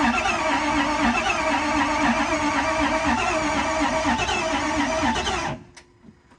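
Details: 2008 Ford F350 6.4 Power Stroke diesel, 6-speed manual, fresh oil, after glow plug warm-up: steady cranking about four beats a second for five seconds, never fires, then silent; cranks but won't start, possibly fuel not primed.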